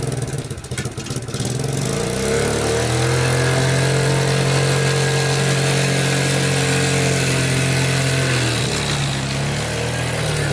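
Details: Abandoned Yamaha Breeze ATV on a cold Wisconsin day, test-driven after fixes: a small single revs up and settles into a steady, even drone that holds pitch under load, with no misses or knocks. It runs, drives and all gears work; normal running.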